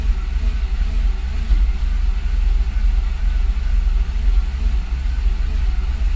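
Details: Engine idles with a low, uneven rumble, speed hunting up and down about once a second: rough, unstable idle.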